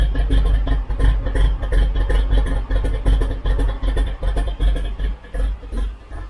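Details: 1972 Chevrolet C10 shop truck V8 after removing a rubbing piece, timing being set with EFI tuner, warming toward 170°F coolant: deep lumpy rumble settling into steady healthy idle.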